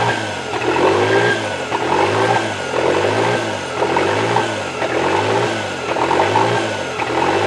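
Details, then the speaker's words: Toyota 3E-TE engine idling rough: idle bounces between about 1500 and 2500 rpm roughly every second and a half, never settling; a light throttle touch sends it near 3000 then it drops back; engine seems to get hot; hunting idle. "so yeah when it starts up it does the bounce idle between about 1500 RPMs to about 2500 and then I barely touch the throttle and it goes up and it starts it of like uh three grand and then soon as I rev it up it drops back down"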